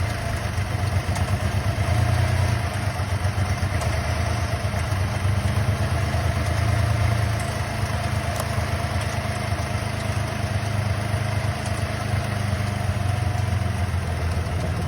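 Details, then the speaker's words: Holden VZ Calais 3.6L LY7 V6 idling with a low, uneven rumble and faint clatter; the left bank has stopped working. Owner plans to replace all six coils and test grounds and wiring. Rough idle, possible misfire, unconfirmed. "This whole left side bank has stopped working. What I'm going to do, I'll try and change the coils."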